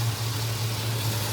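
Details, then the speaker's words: GM 3.6 V6 replacement engine, just swapped in, after solving a crank-no-start issue (dirty relay/fuse checked), burning off oil: steady low hum, even rhythm, no stumbles or knocks; idling normally. "and this is a motor that is now installed it runs it cranks up it fires"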